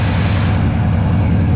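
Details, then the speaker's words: Shop truck with a swapped-in carbureted 350 V8, at 180 degrees after about 10 minutes of idling, with the carburetor idle turned down slightly; a deep, quiet, even rumble with no ticks or knocks; normal warm-up idle. "see idle's really quiet so i haven't messed with this carburetor really turn the idle down a little bit good"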